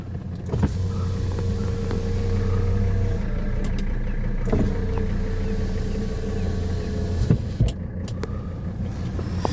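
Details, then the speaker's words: 18,000-mile 1985 Mercedes 300D (W123) with the diesel idling while the front and rear power windows are run. The motor hum rises and stops cleanly with no grinding or stalling, so the windows operate normally. "Let's go ahead and do uh the front and rear windows. That's about as good as it gets."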